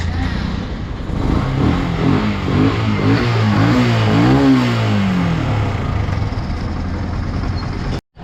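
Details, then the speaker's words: Yamaha FZ motorcycle after repair: new clutch lining, clutch hub refitted and bolt tightened, starter motor working again; engine revs up and settles smoothly with no rattle left from the clutch housing. "Ayan, so gumagana na rin yung ating starter motor tsaka yung ating clutch housing, wala nang kalampag nya. So goods na rin."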